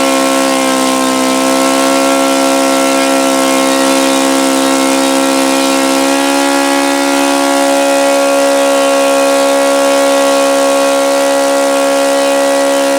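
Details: OS FS-alpha 110 model four-stroke glow engine, freshly reassembled after crankshaft bearing and connecting rod replacement, wails high near full throttle, stepping up slightly; it falls well short of the review article's rpm figures.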